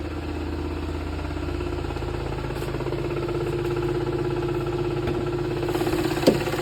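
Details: VW Golf Mk7 GTI idling with the A/C on: smooth idle with a light, quick ticking of roughly three per second on top; the cause of the tick isn't clear.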